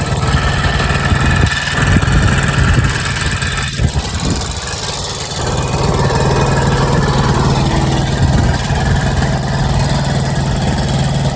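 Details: TVS Victor single-cylinder bike that sat unused for a long time and would not start, after carburetor cleaning and service: starts after a couple of blips and settles into an even, steady putter; normal idle with no misses.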